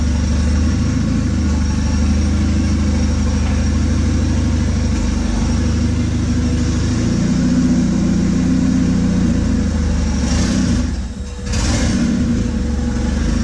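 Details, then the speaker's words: 1996 Honda Accord with turbo CD5 engine after full rebuild, earlier idle trouble and rich running, driven in cold weather on an unfinished tune: steady drone rising and falling smoothly with throttle, faint turbo spool on top; runs clean, normal running. "I took it out and I took it for a drive it ran great I'm so stoked"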